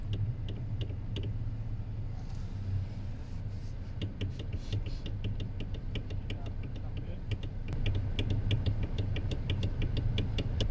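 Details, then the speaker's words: 2021 Mazda CX-30, steering wheel rocked left and right: quick sharp clicks over a low hum, plus shake and rattle over bumps. Uni joint and bolts are fine, so the fault is in the steering column assembly itself; a TSB covers it. "So, it clicks at times turning left and right. It also vibrates and rattles as you're going over bumps. So, there's an issue with the uh steering in this vehicle."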